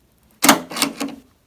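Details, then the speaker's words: 02–07 Jeep Liberty rear glass latch tested by jumping the disconnected switch harness: short sharp double clack of the latch solenoid, so the latch works normally and the micro switch is the likely fault. "and you could hear that the latch made a noise so we can confirm that the latch up here is working properly"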